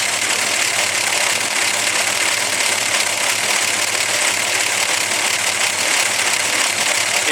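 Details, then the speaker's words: Slant six with a solid lifter, big camshaft, at idle under the hood: fast, even sewing-machine ticking over a rough, lumpy idle; normal solid lifter clatter. "a very rhythmic sewing machine type sound of course yours may or may not idle it's rough as this this has got such a big cam shaft in it"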